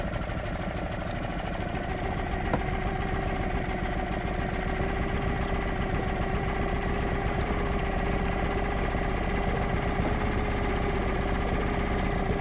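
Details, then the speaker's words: Suzuki 2.5 outboard on a boat after its carburettor was cleaned ultrasonically to fix long-standing idle problems, pottering along at idle only: a steady, even idle with a quick regular putter and no stumbling or hunting, a normal idle. "I'll just hop back in the boat give you a little bit of footage as I merrily Potter back only at idle I'm only going to go at idle"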